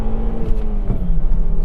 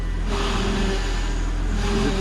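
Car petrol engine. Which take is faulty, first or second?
second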